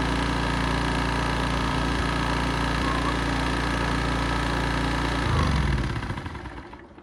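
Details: 1980s Honda EX650 flathead generator, hard-starting, after choke cable fix: steady, even idle with an unchanging beat and no misses, then a clean shutdown; sounds healthy.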